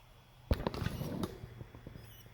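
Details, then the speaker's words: Samsung UN55NU6900 TV (red standby light flashing, won't turn on): click then faint squeaky chirps from power board when plugged in, caused by failing capacitors with black/brown spots; standby light okay, capacitors to be replaced. "hear that sound? It's the capacitors. And the standby light is okay."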